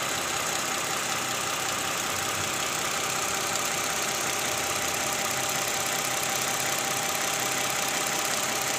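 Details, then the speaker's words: Toyota Camry V6 2GR 3500 cc idling after replacing the tensioner (worn bearing, weak spring) and worn fan belt: smooth, even idle with a steady hum, and the earlier chirp from the belt area is gone. "Sekarang mesinnya udah hidup. Ini bunyinya sudah hilang nih ya."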